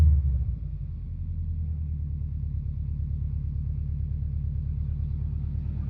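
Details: Subaru Impreza WRX GC8, EJ20G turbo: deep uneven idle with a faint repeating knock about four per second in the exhaust note; driven a year, prior owner two years; told forged internals knock, owner suspects connecting rod.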